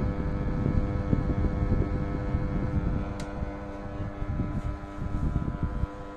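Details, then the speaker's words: Gree 'Xiao Jindou' wall-mounted AC indoor unit, over 10 years old, buzzing after 5 minutes running: constant low hum with uneven rattly buzz; fan motor terminal area touches housing, not bearing wear. "听这个声音呢，应该不像是电机自身轴承这个老化的声音，应该是这个电机的减震支架变形，这个电机碰到这个外壳产生的噪音。"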